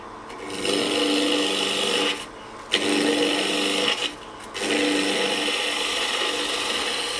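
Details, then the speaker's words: Woodturning spindle work on a lathe: harsh, scratchy rasp in repeated passes instead of a clean hiss as the gouge cuts from the middle out into end grain, against the grain, tearing fibres; cutting toward the void sounds smooth. "you're putting a lot of end grain here which is not always the most Pleasant thing"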